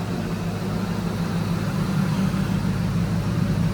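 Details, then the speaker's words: Ford Lightning SVT V8 idling cold after intercooler work, no grinding: a deep, steady, even rumble with no knocks, ticks or misses, left to reach temperature and checked for overheating. It sounds healthy. "yeah, so we're just gonna let her run and idle. Let it get up to temp, make sure it's not gonna overheat, doesn't need more coolant."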